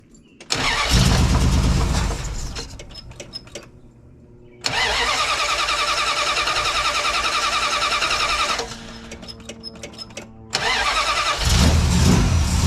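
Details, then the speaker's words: 1972 Plymouth Valiant, 318 V8 (was slant six), Holley 600 carburettor after rebuild, outside in hot weather: fires after a few cranks, loud lumpy uneven idle; runs richer, blamed on the wrong primary metering block gasket. "okay appears as though it's richer we're expecting that result okay i got to eat a little crow on this one which means i screwed up"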